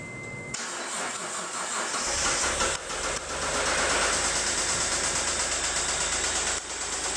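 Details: Mitsubishi 3000GT SL engine cranks and catches, then quick light ticking or knocking over a rough idle; owner suspects lifters but is unsure.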